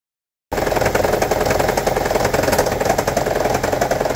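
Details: 2009 Toyota Prius 1.5 Hybrid: rough, rattling idle with uneven stumbling beat; P0304 cylinder 4 misfire, coil swap ruled out ignition coil, shorted spark plug and low cylinder 4 compression found; fixed by replacing spark plugs.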